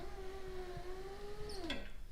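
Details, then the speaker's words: Turbo Honda Accord driver's power window just after repair (previously went up only with door closed): smooth even motor whine about 1.5 seconds, then drops and stops with soft clunk; window goes down and back up normally. "moment of truth well guys it works i fixed it all set goes down and back up"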